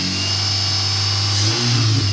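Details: 2003 Dodge Neon 2.0, after the dead MSD coil was swapped back to the original coil. Under a throttle blip the engine rises cleanly in pitch with no stumble or popping. The misfire is fixed and it revs normally.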